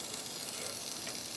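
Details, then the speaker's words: Grindmaster two-group espresso machine under rebuild: a quiet, steady high-pitched hiss as steam leaks from a line fitting by the pressure gauge, which needs repair. "disconnect that and make sure it's not got a plug in it and then that one straight ahead is leaking steam so that needs to be looked at"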